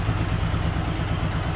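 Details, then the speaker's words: Hero Super Splendor single-cylinder motorcycle after engine work, delivered to customer: steady even low thump at idle with no knock or tapping; normal idle. "Use sound है इस side एकदम perfect है"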